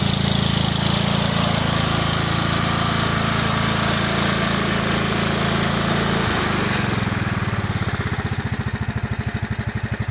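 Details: Kohler Command CH16S single-cylinder engine in a salvaged Cub Cadet 2166, very cold first start after reinstall and reseal/starter refresh (internals untouched): even, steady beat that slows and spreads near the end; runs good, normal idle.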